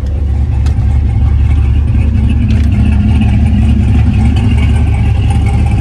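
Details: Engine idling with exhaust cutout open, middle tune versus a tune with less over-speed and more under-speed timing (about 3–4° total): deep uneven lumpy idle rising and falling rhythmically; lope set by timing corrections.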